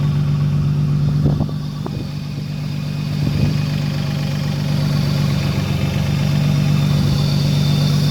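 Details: 2007 Infiniti G35x 3.5 with about 166,000 miles, driven roughly once a month, with a recently started noise: light rhythmic tapping and some sharper clacks over the idle; owner suspects the timing chain tensioner, unconfirmed. Engine knock at idle.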